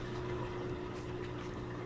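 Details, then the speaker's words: LG washer-dryer combo after a new drain motor was installed and a bent terminal fixed for good contact: steady even motor hum with water moving through; drain pump running normally and draining. "so I checked that now it's got good contact and now when I checked for the drain function I could hear the drain motor kick in I could see the water draining out"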